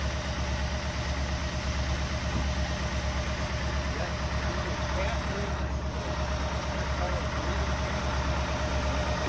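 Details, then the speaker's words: 1964 Buick Riviera, sat 23 years in a field, revived and warmed up with idle raised, listened to at the tailpipe: smooth, even V8 burble with no knocks. Charging at 13.2 V; sounds healthy. "charging y 13.2 that's perfector good that sounds sweet great all right sounds beautiful"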